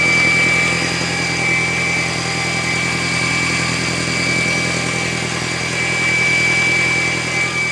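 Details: Audi A4 B6 1.8T: steady piercing high whistle over an even idle, constant pitch and not following revs, after a cold start once the car has sat all day; fuel filter already replaced without effect, cause unknown.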